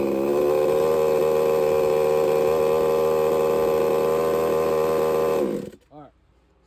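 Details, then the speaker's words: Redcat Rampage XB RC car, Walbro 990 carburetor, low-speed needle backed off a quarter turn: small two-stroke buzzing steady idle for five seconds, then sags and dies abruptly; mixture setting too lean to run. "we slowly backed off of it until it died and it did not like that quarter turn it will not run"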